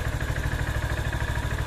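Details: Honda CB190R single idling on 20W-50 full synthetic oil plus Lucas oil stabilizer: steady low, even putter, no knocks or ticks standing out; settles smoothly and sounds healthy.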